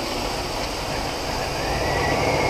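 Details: 1976 Chevrolet Impala barn find, stored 22 years, about 20,000 original miles, running on a boat tank after a holed fuel line: steady, even drone with no knocks or misses; runs normally.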